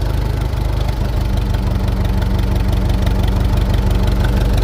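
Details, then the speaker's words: Farmall 400 tractor after starter and solenoid work: a deep, uneven idle of about three pulses a second with dropped beats, a misfire; owner says it is running rich and checked the spark plug. "Okay, so you guys can probably hear the old 400 running here. And it's missing a little bit now. I know it is running rich for some reason."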